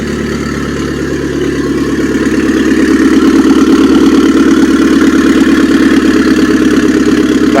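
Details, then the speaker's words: Mitsubishi Airtrek Turbo-R replacement engine (85,000 km from a half-cut) at steady, even idle with a smooth low hum, revs cleanly, no knocks, misses, rattles or smoke; good compression; engine sounds healthy. "let's rev it a little bit upm goes up and okay engine sounds good everything spinning"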